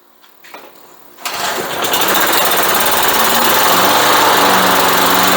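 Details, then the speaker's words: Briggs & Stratton engine on Craftsman mower, sat for years and wouldn't start, after repair: short pull, catches and settles into a steady, even high drone with no misses; runs healthy. "Tá sí cinnte réidh chun dul tá sí ag mothú go deas agus soladach"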